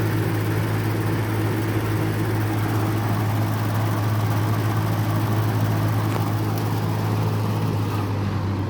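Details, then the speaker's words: 1950s–60s FASCO 20-inch two-speed box fan, aluminium blades: on high a steady low drone with constant buzzy vibration as loose top panel rattles the grille; smooth and quiet on low. "high it rattles a lot on high that's the this top part like vibrates a lot and it vibrates the grill but low it runs really really smooth and quiet"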